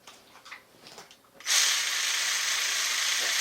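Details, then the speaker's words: RC car drivetrain sound test before a partial rebuild, dry and dirty inside: after a quiet start a steady, harsh high-pitched gritty whir comes in; running rough. "yeah there's just this sounds unhealthy so let me tear her into this guy and uh we're gonna get her smooth again"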